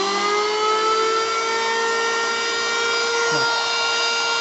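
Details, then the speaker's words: Bull BL0900 electric wood planer, 500 W, 220 V, rated 16,000 rpm no-load, brand new, running free on switch lock: steady, even high whir with constant pitch, no knocks or rattles; runs smoothly. "Jadi memang ini produk cukup oke sih, dari segi suara juga menandakan bahwa mesin masih baru guys, dan nggak kaleng-kaleng ya."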